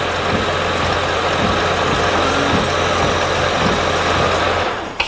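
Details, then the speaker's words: Honda Odyssey after starter replacement that fixed an intermittent no-crank no-start: a clean first-try start, then a steady low, even idle drone with a smooth rhythm and no stumbles. "crank it perfect it's started first try first try"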